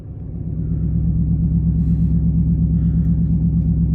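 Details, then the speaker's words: HEMI Dodge Charger Pursuit with new electric exhaust cutouts open, at 14 degrees outside, recorded inside the car: deep, loud, steady burbling V8 idle; normal idle. "As you can see, it is 14 degrees outside. And this is what it sounds like at idle inside the car."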